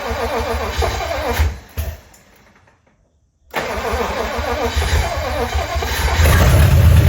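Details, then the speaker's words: 1956 DeSoto Firedome, barn-stored 24 years, fuel pump cleaned and fed from gas can, gas poured in carburetor: even cranking that never catches, no fuel delivery, fuel pump not working; engine otherwise sounds good, no lifter noise. "But it looks like we are not getting any fuel. at all. So, the fuel pump is not working even though I've taken it apart, cleaned it, and everything was functional"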